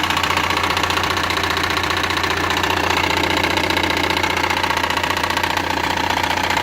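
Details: Engine knock at idle: heavy, even knock about two or three times a second, feeling as if the engine will fall apart; turned out to be just a loose crankshaft pulley.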